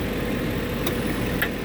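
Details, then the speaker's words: 2004 Ford E250 van, A/C at idle after cleaning compressor and low-pressure switch connections: one sharp click as the compressor clutch engages, showing the pressure switch works; normal engagement. "And you hear it click in. So that means your pressure switch is good because the compressor kicked on."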